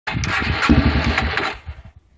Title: Yamaha ttr 230 rough idle and sucking sound